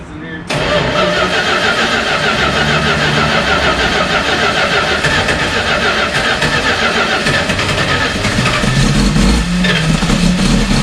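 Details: 1972 Dodge 318 V8 first start after almost 20 years, following carb rebuild, vacuum hose refresh and new ignition wires: cranks and catches, then runs with an uneven lumpy beat that never settles into a smooth idle; running rough, cause unconfirmed.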